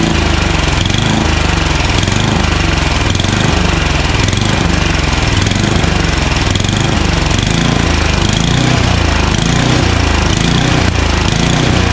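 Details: Craftsman 29" snowblower, 9HP Tecumseh single-cylinder, long unused, started on choke at full throttle: loud, swelling and fading in a quick repeating rhythm; suspected dirty carburetor.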